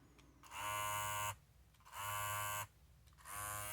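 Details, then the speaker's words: Babyliss 870 clipper, about 5 months old, after replacing the blade to cure a loud noise: three short runs of a steady, even buzz with no rattle or chatter; it now sounds normal. "Yeah, sounds a lot better. It's more or less how it's supposed to sound."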